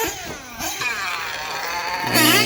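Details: Nitro RC engine with two-piece tuned pipe screaming at high revs, then a sudden harsher, rougher note as revs jump; the pipe joint coming apart and leaking is suspected, not confirmed.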